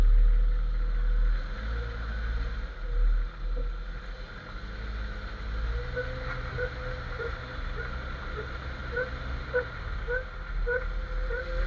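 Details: Jeep XJ front-end noise while driving. A faint rhythmic rubbery squeak under road rumble keeps pace with wheel speed. Owner suspects the front axle shaft u-joint but isn't sure and also considered the steering stabilizer.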